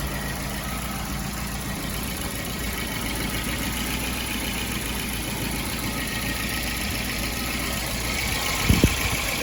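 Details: 1975 Volvo 242 with swapped 1984 B23 engine, first start after replacing all four accessory belts: even, steady idle with smooth drone, no knocks or belt squeals; sounds healthy.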